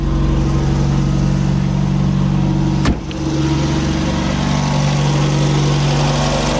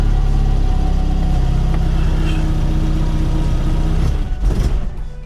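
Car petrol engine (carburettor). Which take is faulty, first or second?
second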